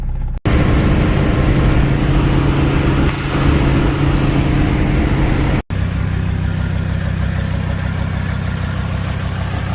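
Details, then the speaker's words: Mercedes OM617 diesel after DIY injector and glow plug replacement and valve lash adjustment, old injectors about 300,000 miles overdue, started after a 5-second glow instead of 30: steady even diesel clatter over firm low rumble, no misses; running better than ever. "thing is running so freaking good. Well, y'all, car runs better than ever, as long as I've had it anyways."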